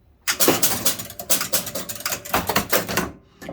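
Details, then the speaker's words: Chicago Coin Top Ten pinball machine, score reels wired in series: game reset with quick bursts of relay clacks and reel clatter for about three seconds, then settling; a clean, healthy reset sequence. "So what we'll do now, we'll reset this game and start a new game."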